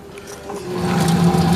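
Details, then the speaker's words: Sanyo digital washing machine fitted with a universal control module: after water filling, the motor winds up to a low steady drone with light gear ratcheting as the agitator turns on its own, normal wash action. "Nah oke guys ya, itu sudah berputar ya pencucinya, kita lihat ya."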